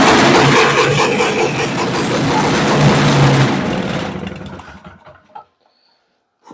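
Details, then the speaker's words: 1969/1970 Boa Ski barn-find snowmobile, sat 30+ years, started with the exhaust just fitted and no proper tank yet. A raspy, uneven two-stroke bark runs a few seconds, then winds down; the engine fires and runs. "that's a runner so now I'll stick a tank in it"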